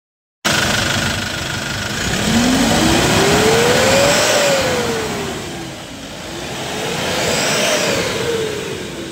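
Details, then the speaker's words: Hyundai Porter 2 D4CB diesel with low power: revving up and down with a whistle tracking the revs and rhythmic puffing chuff beneath, compression blowing by at the number one injector; fix is replacing the injector washer. "oh maay paghungaw sa injector number one makina grab blue by effect isa kahungaw samot na maupat so kambhan na pel injector washer mga boss"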